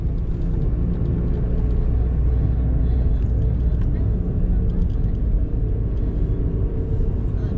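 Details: Honda car driven on the road: deep steady droning hum under road noise, rising with speed and fading when slowing; seemingly from the front right side, suspected worn front wheel bearing.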